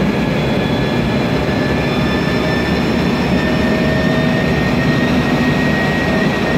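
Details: 2007 MAN Lion's Classic CNG city bus, MAN E2876 LUH03 EEV turbo engine, Voith DIWA 864.3 4-speed automatic, noisy Voith gearbox: steady high whine of unchanging pitch over even engine drone; automatic transmission whine.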